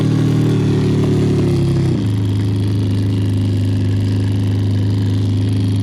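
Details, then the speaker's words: 2014 Toyota Sienna, loud noise when the heater fan is turned on: a loud droning hum with a rough rattling edge, pitch stepping down once, from a bad blower motor; the removed old motor showed a lot of play. "noise usually caused by a bad blower motor or something got stuck in the fins and now it's not working here it goes again"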